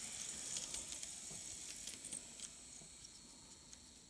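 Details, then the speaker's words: Kato N scale C44-9 locomotive on track after disassembly, lubrication and wheel cleaning to fix noisy running: faint, even high whirr with light track clicking, no grinding or squeal; normal running, noise problem solved. "every time every time i'm always impressed with how well these run never fails so i think we're done with our noise problem that's for"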